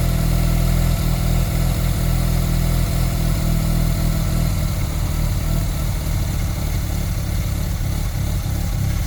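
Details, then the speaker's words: Warm Mazda RX-7 Turbo II rotary, first start after three months' winter storage, idles around 1350–1400 rpm with a buzzy, uneven beat that swells and sags; idle is more correct but hunting, low-end tune seems off. "See, now it's going to hunt a lot though. That's the problem with these things. Yeah, it's going to sound like that. And the idle's more correct, but do you see that hunting?"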